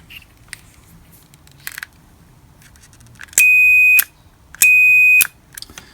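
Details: Two clean, steady, high-pitched multimeter beeps of about half a second each on the normally closed contact pair of a modular illuminated switch in a CNC control panel; the contact closes and conducts properly.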